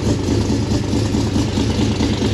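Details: V8 on a Holley Sniper EFI conversion, idling after the idle air-fuel target was leaned out, battery weak and jump-started: deep, even idle holding steady without surging or misfiring, mixture sounds well set.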